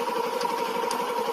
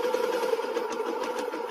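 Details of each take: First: Old first-generation Yamaha Jupiter MX that had a rough noise from the clutch housing. After the repair it idles evenly with a steady mid-pitched hum and sounds smoother than before; pulling the clutch leaves the sound unchanged. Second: Old first-generation Yamaha Jupiter MX idling: rough, uneven clatter from the clutch side with clutch engaged, smooth when lever pulled; hardened clutch damper rubbers suspected. Won't stall or damage other parts.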